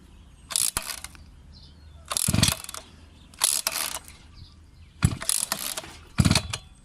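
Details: Newly bought brush cutter (scythe) engine, cold, little petrol in the tank: five rasping recoil pulls with quiet gaps, never catching; owner says it starts slowly when cold; hard starting, cause not confirmed.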